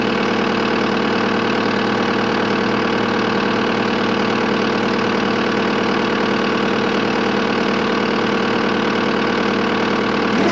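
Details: Skid steer diesel after a fuel filter change, following water in the fuel tank from the transfer tank (a filter was also added there): even idle with normal injector clatter and a steady beat, no stumbling or surging, no leaks.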